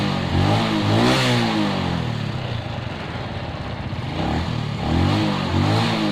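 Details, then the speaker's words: Suzuki Shogun 125 after fitting a Suzuki CDI: starts normally on both electric start and kick start, revs cleanly and smoothly with throttle, no misfire. "kalau starter starter normal nyala Coba kita engkol di engkol juga normal"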